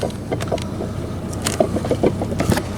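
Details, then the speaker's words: Old water pump removed from a Chevrolet S10 hunting truck, rocked by hand: three or four loose metallic dinks in a few seconds from the shaft moving in a worn bearing. The pump was replaced. "You'll hear it. That dinking noise is the shaft moving."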